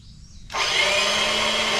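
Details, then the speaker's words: Toro Personal Pace 22-inch electric-start mower with a new battery at 12.42 V dropping to 9 V while cranking. The starter whirs but its drive never engages; the owner suspects dirt and grass clogging the starter drive. "just running the starter it drops down to 9 bolts so it didn't even have enough spin to kick the starter Drive in to even start it"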